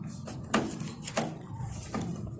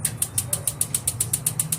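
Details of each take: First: Tankless water heater igniter after replacing the batteries: quick run of sharp spark clicks, then the burner lights promptly with a soft whoosh. Ignition healthy; weak batteries were the cause of it not lighting. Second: but it just won't light up you can see here that we have battery as well but listen to the spark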